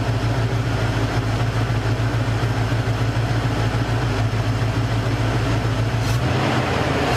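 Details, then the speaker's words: Cougar after fixing a major misfire, exhaust smelling better: even steady low idle with no stumbles or skipped beats; misfire gone, firing cleanly. "Yep. Misfire's gone. She sounds good."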